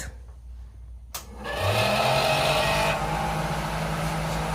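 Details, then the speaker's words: Old camper's vent fan: a steady high screech over a low motor drone as it spins up, how it sounded until it later turned into a light hum. "Did y'all hear that first sound? That screeching noise? That was how that fan sounded the entire time you were running it."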